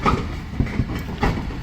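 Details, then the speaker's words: Engineless 1993 Chevy C1500 donor truck (350 TBI engine removed) rolling on tow with bumper dragging; dull low rhythmic clunks about every half second, a loose clunk somewhere in the driveline. "Ah, he said it would be fine, so. Clunk, clunk, clunk."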